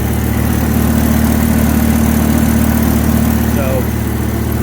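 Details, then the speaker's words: 1994 Dodge Ram 3500 dually, 8.0 L 488 V10, at idle: steady idle with fast, fairly even puffing tick on the exhaust note from one side; exhaust leak, cause not yet known. "there's an exhaust leak over here I'm not sure what's causing it yet"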